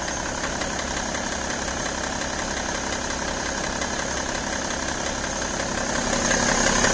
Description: When engine is cold have tick/click sound, after engine is around 80C degrees click is gone.